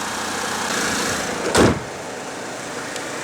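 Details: 2008 Pontiac G6 2.4, about 102,880 miles, idling after a fresh oil change: quiet, even idle with no ticking or tapping, just one brief bump in the background; a normal, healthy engine.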